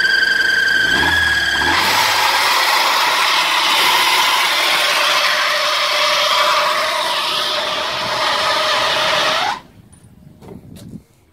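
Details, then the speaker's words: Old Ford Laser engine revved: loud harsh squeal from a loose, slipping alternator (fan) belt that cuts off sharply; rubber residue from belt wear on the timing cover; fixed by adjusting belt tension. "I noticed that the uh there was a bit of a squeak and that squeak is coming directly from the drive on the alternator"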